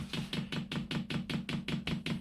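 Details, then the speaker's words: 8 kW 12 V Chinese diesel air heater on a bench power supply at 12 V: dosing pump priming the fuel line with crisp, even clicks about four per second over a low hum; normal fuel pump priming clicks. "i'm now priming up the pump as you can hear it clicking away"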